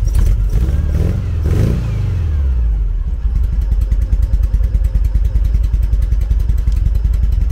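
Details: 1974 VW Beetle flat-four on Weber IDF carbs, revved hard to try to blow out a blocked idle jet on cylinder three: revs die to a lumpy, stumbling chuffing idle. Misfire from blocked idle jet.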